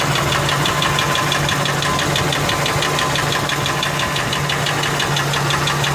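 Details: Ford F150 4.6 2-valve at idle: steady hard metallic knock about two per second; owner first thought lash adjusters, now suspects rod bearings, though it seems to come from the clutch, possibly a broken spring; unconfirmed.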